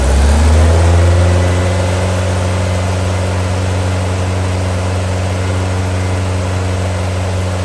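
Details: New Powerhaus 2110cc air-cooled VW flat-four, upgraded heads, dual 44 carburetors, on dyno after valve adjustment, warmed up: steady even low drone, smooth firing beat, no ticking or knocking under load; normal running.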